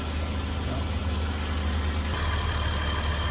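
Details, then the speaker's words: 2008 Dodge Caravan 3.8L after an overheating and broken-coolant-connector repair, topped off and burping air from the coolant. No smoke from the tailpipe. A steady, smooth low idle with no skips, knocks or rattles: normal. "i'm just going to top that off and make sure it's all burped out i don't see any plumes of smoke out of the tailpipe so i'm happy with that"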